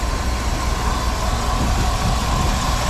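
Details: 1956 Dodge C3 HHA-8 farm truck, 259 V8, recently tuned up, converted to 12 volt; deep, steady, even idle rumble with no ticking or stumbling: normal idle.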